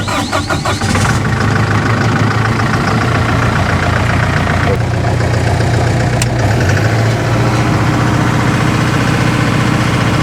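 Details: Doosan G70 portable generator (diesel) after fixing intermittent no-start: its Auto Start Controller was replaced because worn button covers let dirt into the start switch. Cranks briefly, catches at once and settles into a steady, even low rumble; a healthy start and idle.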